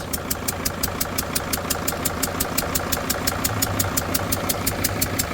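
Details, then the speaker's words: Freightliner van, Mercedes diesel, number five injector bolt stripped and temporarily held: lumpy uneven idle around three pulses a second; fuel spray stopped, compression leaks, one cylinder dead, running on four. "We've been able to get that cylinder to stop spraying fuel everywhere. So, that's a positive. But, it's running on five cylinders."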